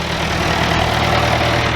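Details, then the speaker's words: Bobcat 825 skid steer after cylinder seal replacement: steady, even low diesel idle with smooth beat, no knocks or misses; runs healthy. "It's idling right now. Thing sounds good and healthy."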